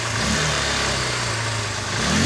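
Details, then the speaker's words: Honda Unicorn 150 BS4 after repair of a pickup problem where it would not rev properly, air filter refitted: the engine note climbs cleanly and quickly as the throttle opens, with no stumble or hesitation. Healthy revving. "और अभी दोस्तों हम यहाँ से accelerate करते हैं, गाड़ी जो है वो दोस्तों एकदम प्रॉपर रेस भी ले रही है।"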